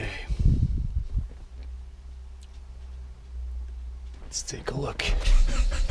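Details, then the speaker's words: Turbo Honda Prelude after winter storage, battery charged about 15 minutes: the starter churns steadily for about three seconds but the engine never fires; the spark plugs came out completely wet, and no spark is suspected. "I removed the the spark plugs and they're completely wet so I guess that there's maybe no spark"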